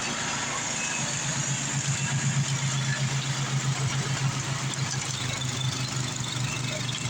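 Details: Craftsman 826 track drive snowblower after auger belt replacement (31-inch belt), refuelled, throwing snow; small engine holds steady throb with slight pulsing as the auger bites; runs evenly under load; normal running under load.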